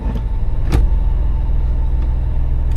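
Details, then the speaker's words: Truck with automatic transmission after cleaning a sticky, gummed-up shifter selector input shaft that caused slipping out of drive; idling, wheels chocked, shifting reverse, neutral, drive: steady hum with only soft brief thumps; engagement smooth and even. "While we're up here, now we're going to go ahead and check each of the ranges. So, I'm in reverse, neutral, drive,"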